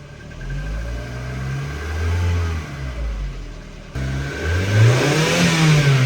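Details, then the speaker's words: Ford Focus petrol engine revved while stationary: runs unevenly and stumbles as revs rise; scan tool reports cylinder 2 misfire detected. "there you go cylinder 2 missfire detected"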